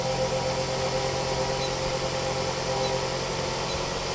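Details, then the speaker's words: 2006 Toyota RAV4 at about 140,000 miles, idling after oil and filter change: smooth, even idle hum with no knocks or ticks; normal idle. "All right, a little light on the subject there. All right, sounds good."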